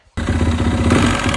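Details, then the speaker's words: 2017 Yamaha WR450 after top-end rebuild with new piston (old piston badly worn, new ring had no end gap): crisp, even single-cylinder beat, much quieter, no knock or clatter; normal running. "put it all back together and freaking runs like a champ listen to this so much quieter"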